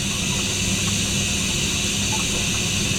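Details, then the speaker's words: Hoshizaki ice maker after defrost, inlet solenoid valve open for the fill cycle, line cold in ice mode: steady even water hiss with no chatter or buzz; the solenoid valve is working. "now it opened up the water again and it's going to be it's a fill cycle so it's starting the new process and I feel now this line is cold and not hot so we're in ice mode and our solenoid valve is working"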